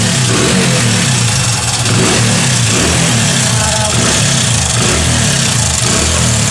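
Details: Hero Passion Xpro i3s motorcycle revving: constant dry metallic clatter rising with revs; timing chain rattle.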